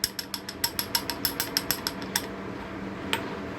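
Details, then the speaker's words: Half-HP peripheral water pump at switch-on: quick, uneven plastic clicking and rattling as the internally splined impeller wobbles and shifts forward on the worn rotor shaft, a noise that often fades once the pump moves water. "Este es el sonido que ustedes escuchan esta bomba de agua cuando la bomba enciende se mantiene con este bailoteo y en ocasiones Ella viene hacia delante y hace esto"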